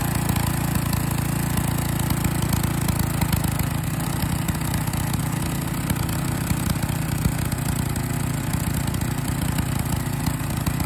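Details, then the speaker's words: Small single-cylinder engine running with liquid gallium poured into its carburetor, about ten grams so far, to test whether it destroys a running engine; holds a steady chugging run without stumbling or stalling, still running normally. "so as you can hear it's uh so far survived about 10 grand or still of gallium running through it"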